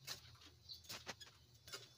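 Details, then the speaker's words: Suzuki Grand Vitara 2.0, noisy on first start, engine off: belt tensioner pulley turned by hand gives short, sharp, uneven high-pitched "ikik" squeaks like the compressor pulley; worn, dry tensioner bearing noise. "Agikik yung tunog dito. Agikicik kaparehas ng compressor ng tunog."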